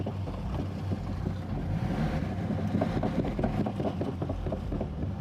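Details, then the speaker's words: Car fitted with a makeshift spring in place of the propshaft, driven slowly in reverse and forward; heavy repeating knock over a low rumble as the bent, flexing spring moves; driveline knock. "i can hear it knocking we still have a knock meaning there's a lot of movement it's obviously bent"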